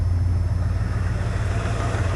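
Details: 1990 Chevy K5 Blazer, 350 5.7 V8 originally TBI with Crane cam, still cold; deep, even, steady low rumble with no knocks or misses; running great.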